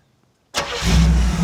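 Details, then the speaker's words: 1937 Buick street rod with a new BluePrint 350 crate engine being broken in; restart after setting idle mixtures to one turn out, still a touch lean. One short crank, catches at once into a steady deep idle; normal quick start. "Immediately. That's about eight. Let's try it there."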